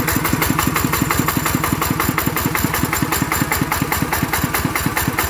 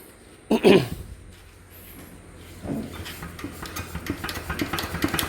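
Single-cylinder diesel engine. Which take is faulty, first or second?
second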